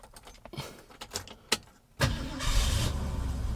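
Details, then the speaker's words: 1968 Mercury Cougar XR7 V8, started while still a little cold: a few clicks, then it fires right up into an even, slightly rough cold idle. Nothing terrible; some blow-by is noted afterward. "Yeah, it fired right up. Okay, it's still a little cold, so that's why it's going to run the way it is. But as you can hear, it's nothing too terrible."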